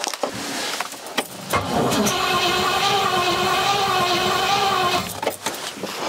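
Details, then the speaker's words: Rover P6 with a 4.6 V8, brand-new battery boosted by a jump pack: a steady starter whirr with a couple of brief coughs, but it never catches; a no-start with the fuel pump audible. "had a couple of little coughs there"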